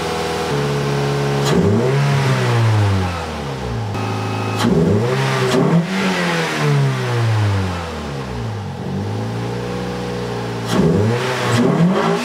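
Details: Toyota Yaris 1.5L 1NZ-FE with a 2ZR fuel pump, 2ZZ spark plugs and a 1ZZ throttle body, after reseating a loose throttle position sensor plug: clean repeated blips to high revs, unloaded, with no stumbling or cutting out; runs healthy.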